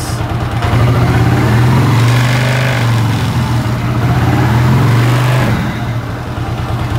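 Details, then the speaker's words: Suzuki Shogun SP 125 FD small single, choke tested after fitting a new choke cable: engine rises to a raised, steady fast idle for a few seconds, then settles back. Choke working properly. "Nih kita lihat ahahfungsi ya kalau dicuk dia"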